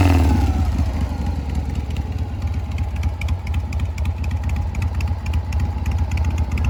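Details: Harley-Davidson Shovelhead after clutch replacement, fouled plugs replaced with new ones and battery charged: starts, then settles into a lumpy, uneven V-twin idle at about four beats a second with normal valvetrain clatter; runs fine.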